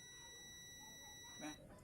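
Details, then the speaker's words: Behringer CX2310 crossover that died after a low-voltage supply dip: multimeter continuity test on the removed 100 nF (104) capacitor gives a steady unbroken beep, a dead short, unlike the other capacitors; shorted capacitor, to be replaced. "ahí tenemos corto a diferencia de los por ejemplo acá tenemos otro no tenemos corto"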